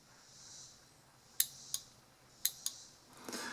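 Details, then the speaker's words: Car fuel pump relay bench test, power and ground applied to control-circuit pins: crisp, clean single clicks each time power applied and removed, no buzzing; relay switching properly, normal. "so I've got ground hooked up and here's power and when I touch this to the pin we should hear a click"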